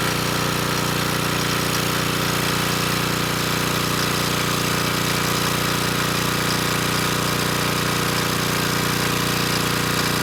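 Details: Coleman Powermate Pulse 1850 generator, 1996 engine, repaired after running rough, under a space heater drawing slightly over its 1500 W rating: steady, dense drone at one even speed, no hunting or surging, holding 114 V at about 62 Hz; normal running under load.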